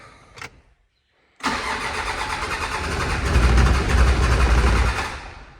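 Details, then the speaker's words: 1972 Range Rover Classic Suffix A, being recommissioned, new battery fitted, ran then died: starter cranks steadily about four turns a second but never fires; crank no start, sounds out of fuel though gauge shows a quarter tank; in-tank pump suspected. "anyway yes it was running then it died and now it's just doing this"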